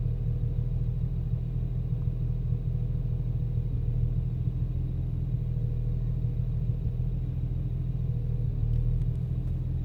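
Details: BMW 335i rough idle after VSRF downpipes installed, no error codes: steady low idle rumble with a loose, irregular pulse and no even rhythm; idle fluctuates and the car shakes.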